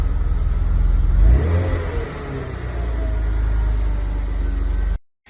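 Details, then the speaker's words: BMW E34 with M50 six-cylinder revived after 15 years outside, broken hose temporarily taped: smooth hum blips up once, drops back and holds a steady, even idle with no knocks or misses. "To finish off, here's a quick clip of the engine running after I professionally fixed the broken hose with some tape."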